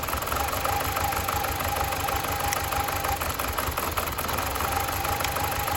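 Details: BMW 318i E46 Touring, four-cylinder, at idle: idle lopes and stumbles with an irregular thud about three times a second; still rough with coils believed working, cause unconfirmed.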